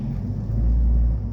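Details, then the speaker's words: 2001 Toyota Camry petrol idle: low rumble swells briefly then settles each time the brake is pressed or released, an erratic idle surge; timing belt, roller, pulley and bonnet fuses already replaced. "It goes up and comes down. Uh that is you can see it again. I've released it went up and came down again which I think is not supposed to be."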